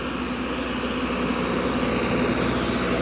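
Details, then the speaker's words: 60kW Kohler REOZJ diesel generator on a mobile MRI/X-ray trailer, running with fuel solenoid wired in and starter jumped after control board failed. Steady even idle, smooth low rumble, no knocks or misses; normal idle. "This unit's board went bad, and so I had to wire in the fuel solenoid and jump the starter for it to start running until we can get a replacement board."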